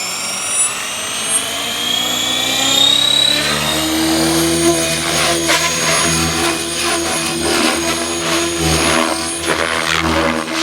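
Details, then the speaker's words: Blade Fusion 480 Stretch helicopter with Spektrum 6250HX, hovering after raising cyclic gains to 60/60/20 in Stunt 2; rotor whine with quick restless tail pitch wobble: tail gain too high, likely the I term. "That's a lot better. You can hear that tail gain going a little bit. It's a little high."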